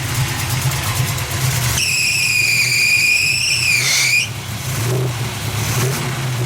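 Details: Chevrolet 350 SS V8; loud uneven engine roar with high whistle that dips midway; no smoke, fans work; runs rough, owner suspects tight valves and plans valve adjustment.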